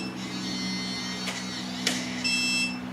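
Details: Truguard electronic deadbolt: a single-use code 1001 is entered, then a faint steady electronic tone and a short motor whir as the bolt retracts; the lock works normally on the valid code.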